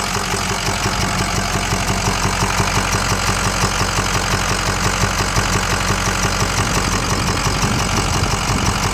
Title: 6.0 powerstroke clicking noise